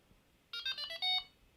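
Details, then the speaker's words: Delkim bite alarm just reset to factory settings: a quick run of about five shrill electronic beeps shifting in pitch, the normal default tone. "turn the sensitivity up a little bit that's that's the tone uh default tone"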